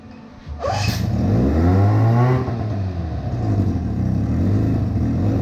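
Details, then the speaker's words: 1985 Evinrude 4.5 HP outboard after freeing a stuck carburetor float, choked at about half throttle: catches on first pull and settles into a steady even buzz as throttle rises; runs cleanly. "Alright, so here she is, she's running."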